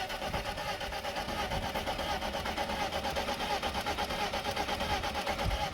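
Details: Car cranking but not starting: steady starter cranking about 1.5 pulses a second, never catching; spark test shows no spark at plug lead, further testing needed.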